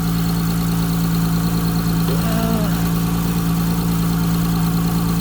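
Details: 2004 Saturn Vue 3.5L J35 V6 after replacing a failed one-year-old, 10k timing belt kit that broke while driving, no coolant in it: steady, even idle with a smooth low hum, no knocks, ticks or misses; no fault codes, runs cleanly.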